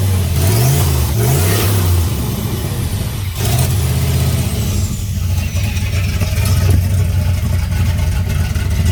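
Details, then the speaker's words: 1989 turbo Fox Body Mustang, cold, after a Melling high-volume oil pump install and distributor re-stab: a low, lumpy, loping idle with stumbles, feels like it's missing. Oil pressure falls to about 30 even before it warms up; the owner suspects an engine problem. "so i might have something wrong with the motor i don't know it sounds awful strange though right now feels like it's missing"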